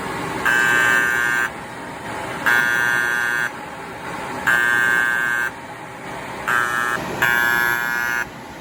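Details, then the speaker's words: Kyungdong Navien agricultural produce dryer: high buzzer about one second on, one second off, five times, overheat alarm code E-1 as the tripped bimetal temperature switch cuts power; sensor is fine. "이게 이게 온도 스위치 이게 떨어지니까 이게 전원이 이게 차단돼서 이게 경고가 울리니까."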